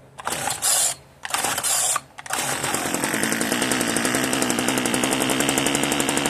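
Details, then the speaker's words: Homelite-made string trimmer (Homelite or Craftsman-branded), a marketplace find bottle-fed 2-cycle fuel, compression and spark unknown: after a few short bursts it settles into a fast, buzzy, steady two-stroke run. It runs, though it was slightly over-fuelled. "Yeah. She'll run. I mean, if I put fuel in the tank, she may take off and run for us."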